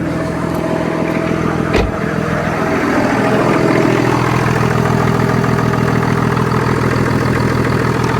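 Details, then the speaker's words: BMW F11 535d M Sport Touring diesel, off the road for 3 years, first start: steady idle with a loud, hollow intake rushing over the clatter. Owner suspects the air filter isn't fitted properly; cause unconfirmed. Loud intake noise at idle. "Sounds fine. That intake noise is quite loud. Sounds almost like the air filter's not on properly or something."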